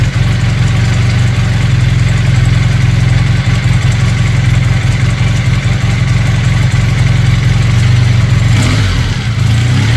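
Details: Honda CB400T Dream twin during a service, idling with vacuum gauges on the carbs: an uneven, lumpy tickover with a loping, irregular beat; the carburettors are badly unsynchronized, a large imbalance on the right carb.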